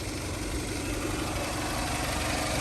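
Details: 2000 Toyota Camry LE, 173,000 miles, fresh Aisin timing belt, new valve cover gasket, spark plug wires and battery: smooth, even idle with steady low hum, no knocks, misses or ticks; engine sounds healthy.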